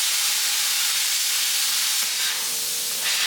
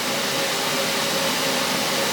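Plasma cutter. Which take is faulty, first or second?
second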